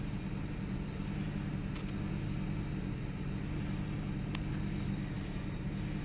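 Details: 1998 Ford Taurus SE OHV V6 idling with the hood open: low rumble with a faint uneven lope and the odd stumble. Intermittent misfire with mild rpm fluctuation; earlier swung 400-1000 rpm without warning lights. Cause undiagnosed.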